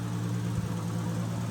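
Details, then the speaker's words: Freshly rebuilt forged 1.5JZ, just after first start, coolant still bleeding: a steady, low, even six-cylinder idle with no knock, tick or miss; slight smoke from oil on the exhaust manifold is normal, engine healthy. "running off the exhaust manifold right now you can see a little bit of smoke coming up but that's normal but other than that sounds pretty healthy to me"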